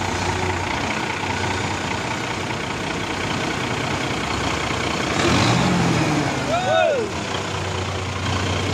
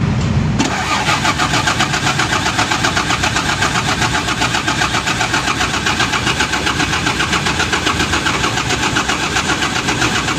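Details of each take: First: Mitsubishi 6M70 diesel with hard-start problem, after injection pressure pump was recentred on its timing mark; catches and settles into a steady even idle with no stumble or hunting, starts and runs normally. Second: Mitsubishi 6M70 diesel engine, intermittent hard start, sometimes needs starting cleaner: long steady cranking about four beats a second without catching; hard starting attributed to incorrect injection pump timing.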